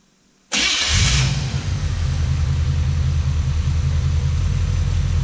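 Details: Wrecker V8 with Toker cam, after retiming with a timing light (about 18 degrees read, then distributor reset): cranks, catches at once, then a steady even low idle rumble with no misses or knocks; sounds good.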